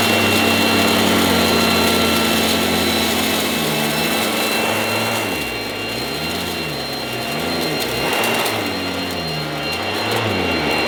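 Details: 1980s mains-powered Goblin Roto handheld vacuum cleaner, rotating agitator brush on the floor: loud, steady rushing roar with a high whine, pitch dipping and wobbling under load; healthy but very noisy old cleaner.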